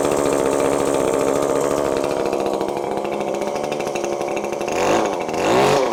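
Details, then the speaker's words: ECHO SRM-2620T two-stroke string trimmer on 50:1 mix, run with the clogged spark arrestor screen removed: crisp steady buzz climbing cleanly in pitch on throttle, no bogging; normal running after clogged screen confirmed as cause. "so you can see right there that that was absolutely the problem uh completely running differently now you can hear the rpms it's not bogging down so it was just a clog screen very simple fix as i suspected"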